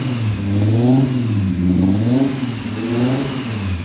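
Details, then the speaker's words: K24-powered Subaru Impreza, first runs after swap with throttle body newly fitted: engine climbs and falls through smooth revs, even pitch, no knock or rattle; runs healthy. "Whew, she's sounding good, thank God."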